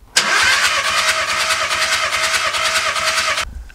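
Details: Caddy with a no-start problem, injectors disconnected after a compression test read 25, 22, 24 and 24 bar: fast, even cranking with steady compression pulses, no drag; normal cranking.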